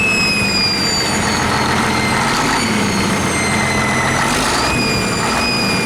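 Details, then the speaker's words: 1959 Caterpillar D337F diesel genset, stored in a barn 10 to 12 years, just started and resting at idle (needs the shutdown lever to stop). Steady, even idle with a faint high whistle on top, no knocks or misses: normal idle. "so we are not able to actually stop it with the throttle right now it's resting at idle we do have to use the shutdown lever"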